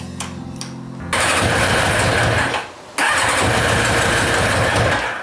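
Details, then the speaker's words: Yamaha motorbike after carburettor cleaning, which cut out whenever the choke or throttle was touched. The starter cranks, the engine catches and revs roughly, sags, refires, then fades and won't keep running. The owner suspects electrical trouble, possibly the HT leads; unconfirmed. "I honestly think that's electrical I think it's the HT leads actually start off with"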